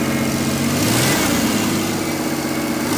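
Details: 1990 Mitsubishi Montero Gen 1, six-cylinder manual, after ignition timing adjustment for a suspected timing issue: engine catches and settles into a smooth, steady idle with a quick rev; normal idle.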